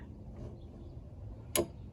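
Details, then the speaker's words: DeWalt 20-inch scroll saw, quiet room: one sharp click as the tilting table drops into its zero stop, which sits to the right of center, before the knob is tightened; a normal detent engaging. "It clicks in, and then you just tighten this knob."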